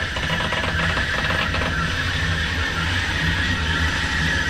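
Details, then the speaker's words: Air handler motor in a hospital running slowly at about 8 Hz on a Danfoss VLT drive: steady low hum with a thin high electrical whine over fan room background, turning slowly but evenly. "okay but we're only getting about eight Hertz okay"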